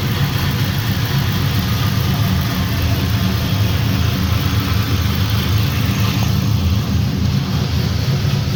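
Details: 1965 Impala with cammed LS 5.3, rebuilt 4L60e, first start on base HP Tuners calibration with ECM-controlled relay: deep, even, steady idle with no misses, knocks or ticking; running smoothly and healthy.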